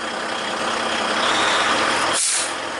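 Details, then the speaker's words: Heavy-duty truck with intermittent no-accelerate, shift-grind and transmission low air supply warning, air tanks around 100–110 psi: sudden sharp hiss over the steady run as the pop-off valve vents the full tanks; normal air-system release. "there's the pop-off valve no clotter does because the wind is going the wrong way"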